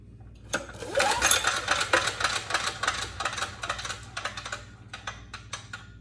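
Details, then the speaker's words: Briggs & Stratton Storm Responder generator run out of oil, connecting rod broken with engine bits in the bottom: recoil pull spins fast and freely, light even clatter near four per second, no compression stroke. "there's absolutely no compression yeah that's not good it ran out of oil and you can actually see bits of the engine sitting there in the bottom"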